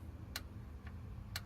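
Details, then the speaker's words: 2016 Kia Sorento with P0014: engine off, oil control valve commanded on, crisp clicks about twice a second; the solenoid switches normally, confirming power and ECM control, so its wiring needs no checking. "so that just tells me my um Power and the control from the ECM is working so I don't even have to check that wiring"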